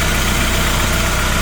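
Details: VW MK3 Golf GTI 2.0L 8-valve idling after water pump and thermostat replacement, warming up for the radiator fan to kick in while coolant is bled and topped up; steady even low idle, regular firing beat, no knocks or ticks; normal.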